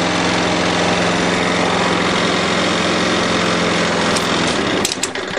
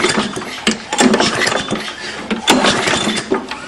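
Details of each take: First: 6 hp Briggs & Stratton flathead on a Murray mower after a valve job: runs smooth and even with good compression and no more 'chit chit' sound. A slightly bent shaft rattles the body lightly before shutdown; normal running. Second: 6 hp Briggs & Stratton engine on a Murray lawnmower with poor compression, muffler removed. Slow pull-cord pulls give sharp, hollow chuffs from the open exhaust port as the exhaust releases, indicating a burnt exhaust valve to be fixed with a valve job.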